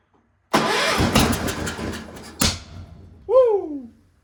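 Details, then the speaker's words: Cub Cadet 1250 garden tractor, not run in seven years, catches and runs ragged at full throttle, then one sharp loud pop: backfire on start; owner says it seems to run really rich and needs carb adjustment-screw tuning. "that was a good backfire yeah that was legit"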